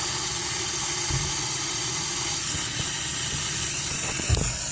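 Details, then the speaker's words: Sprinkler line being slowly recharged at valve box while troubleshooting a leaking sprinkler valve (suspected failed valve or cracked pipe): steady airy hiss as trapped air escapes; hiss stops once the line is charged. "can hear it now you're not hearing it that means the line's charged now I can fully open that"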